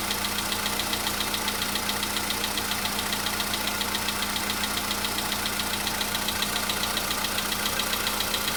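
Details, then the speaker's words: VW Polo Sedan engine at cold idle, a day after oil change and flush with flushing oil: light, very regular ticking two or three times a second; knock was absent the day before, now back but quieter, cause unclear. "Чуть-чуть есть, совсем мало. Нет, есть, конечно. Так вот есть, постукивает."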